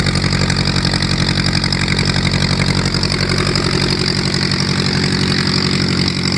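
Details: VW Type 1 air-cooled flat-four on its first run with new valve adjustment screws, ticking over at a steady, even four pulses a second with no stray knocks. Normal idle.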